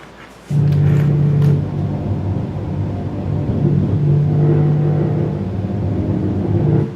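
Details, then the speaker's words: Vehicle driving with a deep, steady low growl from under the car that gets quieter when turning right; wheel bearing or tyre suspected, not confirmed. "when he turns to the right it gets quieter"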